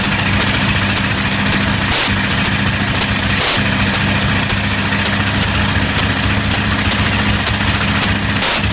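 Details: Bristol Hercules radial engine: steady deep drone broken by sharp pops about twice a second with a few heavier stumbles; slight, persistent misfire.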